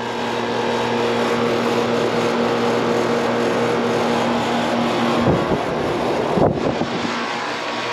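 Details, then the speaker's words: 15-year-old never-serviced outdoor AC condenser running, about 80°F outside: loud steady low hum under a strong rush of fan air; cools well but noisy. "they say it does cool well just making a loud noise"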